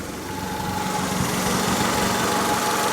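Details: Honda Accord 2.2 non-VTEC after a new timing belt, water pump, balance shafts and oil pump, with the valve cover gasket reseated; no overheating: smooth even idle, steady low hum and faint steady tone, no knocks or ticks, healthy.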